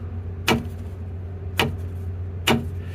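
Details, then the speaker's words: 2016 Toyota Tacoma rear end: three sharp metallic tinks, about one a second, over a low hum. The axle rocks when braking to a stop because the rear air bag is held by a single C-clamp on one end. "because there's only one clamp on one end, whenever I would put the brakes on the truck and come to a stop, the axle would rock and I get this sound."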